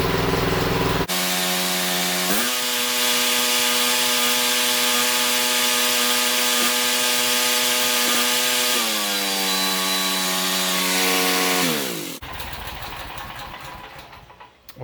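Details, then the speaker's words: Generator with Honda GX390 engine, started after sitting about a year and being fixed: catches quickly, rises to a clean, steady governed hum, eases under the governor, then winds down smoothly at shutdown; normal running. "so it was a success"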